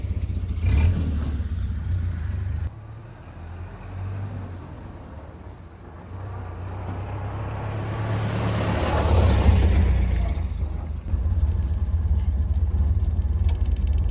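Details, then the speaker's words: Ford Model A driving on the road with a newly rebuilt 1930 Zenith carburetor: low steady engine drone under road and wind noise, pulling evenly as speed builds with much more power. The old carburetor's reproduction jets were the owner's suspected problem. "Wow, this is great. So much more power."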